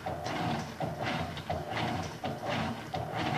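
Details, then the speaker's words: Electrolux LF 750 washing machine, previously agitating one way only: regular even agitator strokes roughly every 0.7 seconds with no grinding; normal agitation. "funcionamento correto da máquina é esse ela tem que entrar água para lavar depois é tempo o time molho depois ela tem que bater mais um pouco"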